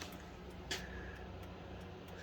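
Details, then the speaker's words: 1996-2000 GM truck after multifunction switch repair, battery reconnected before dash reinstall: soft even ticking about every half second over low cab hum; turn signal flasher cycling normally. "being impatient I decided to hook the battery up and see if uh things work you can hear it clicking"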